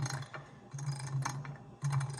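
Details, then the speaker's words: JEGS XHD torque converter, run hot and pulled after noise was heard, turned slowly by hand on input shaft: irregular metallic rattling and clatter inside; owner believes fins came loose, possibly broken or poorly brazed. Torque converter internal rattle. "coming from the converter hear that um I believe it's the fins came loose um sometimes they break or they're not braised well"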